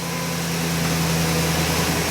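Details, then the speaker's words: 2011 Ford E350 van V8 at idle after replacing serpentine belt, idler pulley and tensioner for a constant front-engine noise; steady, smooth idle hum with no chirp, squeal or rattle, a whole lot quieter. "a whole lot quieter and when it comes off idle should be nice"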